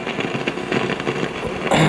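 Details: 1955 GE Musaphonic Model 581 tube radio: steady rough crackle and hiss across the dial, with no station received even one a mile away, from leaky silver mica capacitors in the IF transformers.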